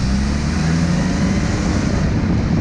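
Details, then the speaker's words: Audi A4 Quattro on a test drive right after its broken OEM driveshaft center support bearing was cut out and replaced with an aftermarket carrier: even low road and engine rumble under steady pull, no shudder or drone, driveline smooth. "Like butter. It already feels so much better."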